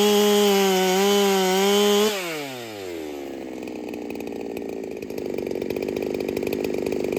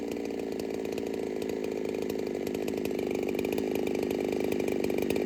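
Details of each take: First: Ported Holtzfforma 395 chainsaw after build changes, cutting: drops from wavering high rev into long low bog, then revs back; runs like rings badly need seating, carb fattened, cause unconfirmed. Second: Ported Holtzfforma 395 chainsaw, 165 psi compression, rings possibly not yet seated, first test session: high, steady buzz with even crackle through the cut, never bogs; quiet with a muffler hiss, owner suspects muffler is restrictive. Normal running under cut.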